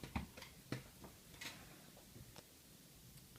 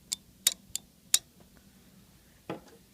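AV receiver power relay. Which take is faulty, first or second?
first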